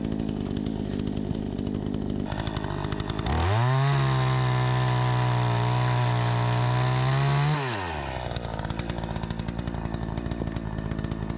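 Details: Troy-Bilt 20" two-stroke chainsaw after carburetor adjustment, cutting wood: it winds up crisply to a steady high scream through the cut and drops back cleanly to idle; it runs strong and cuts better than ever since new.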